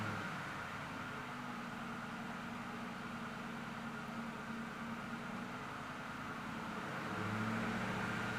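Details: 1996 Ford Mustang Cobra convertible V8, 5-speed manual, dual exhaust: even smooth idle with a steady low rumble, clean rise in pitch near the end, no knocks or ticks; normal idle.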